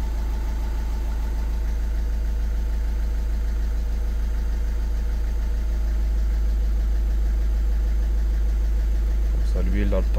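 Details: VW Passat Break 1.6 TDI 105 hp, engine code CAYC, 2011/2012 diesel, idling during major service after oil change: steady, even diesel clatter with constant low drone, no knocks or misses; healthy idle.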